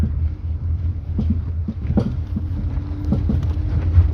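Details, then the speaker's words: Jeep Renegade test drive, otherwise quiet: irregular hollow loud clunks knock through low road rumble over bumps; shock absorber then removed for analysis; suspected play inside the shock absorber rod, not confirmed. "carro muito gostosinho de andar assim tirando a exceção esse toque toque aí chato é alto hein"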